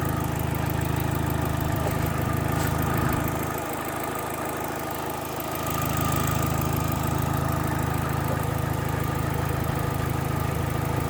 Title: ASTRA H GTC 1.8 AT 1.8 (Ticking noise)